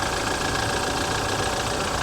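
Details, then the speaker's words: 2008 Humvee (gasoline, not diesel) at idle: a dense, busy metallic rattle over the engine note that doesn't sound normal. The owner wonders whether it is direct injection, source unconfirmed. "could that be direct injection I don't know man man it doesn't sound normal to me"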